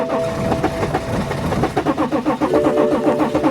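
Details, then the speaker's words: 2011 BMW X5 3.0 L diesel; starter turns engine over at about four beats a second without catching, earlier briefly started, ran rough and died. Crank no start. "so right there now it has become a crank nose start okay so it it starts it's trying to start and then it dies"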